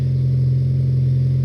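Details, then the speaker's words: 2002 Saturn SL four-cylinder after repair idling smoothly, an even steady hum with no missed beats, firing on all four; before the repair it ran like a bad diesel on two cylinders. "so let's see how it runs now i could already tell you that it's firing on all four that's it guys this is nice and smooth"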